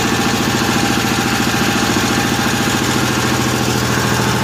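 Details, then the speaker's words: 1955 Cushman Truckster, owner thinks a piece of dirt was in there somewhere; steady, even single-cylinder thumping at a settled idle with no stumbles or misses, quiet through a homemade EMT-conduit exhaust: smooth, healthy idle. "That engine's quiet as could be. The exhaust note isn't bad either for the exhaust system I have."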